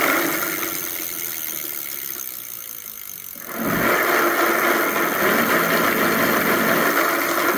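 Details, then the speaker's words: E-bike hub motor revving up: a fast, dry rattling chatter of about three to four per second. Opening the hub showed broken plastic gear teeth, with pieces scattered inside. "okay and the problem with the i mean the rattling noise or that chattering noise whatever it was from the broken tooth of the gears"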